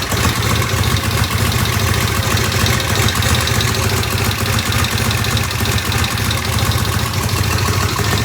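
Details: 1972 Norton Commando Combat twin idling after installing new 3-phase rotor and stator: steady even idle with a light rattle from the stator riding on top; runs smoothly and healthy.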